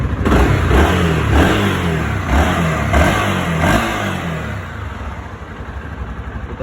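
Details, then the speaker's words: Honda CB Twister 250 (2016–2022) single after oil pump gasket cleaned/replaced behind the clutch cover, warmed about 20 minutes (previously noisy when hot): revs up and settles smoothly, even exhaust beat, no ticking or knocking; engine healthy. "deixei ela esquentando um tempo porque essa moto só fazia barulho com quando não esquentava já tá uns 20 minutinhos"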